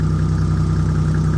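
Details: Toyota 1JZ engine in a Nissan Silvia S15, rebuilt 2,100 km earlier, knocking found after a 15–20 minute drive: steady low idle with a fast even pulsing thump underneath, knock of unknown origin; owner suspects an exhaust leak as well.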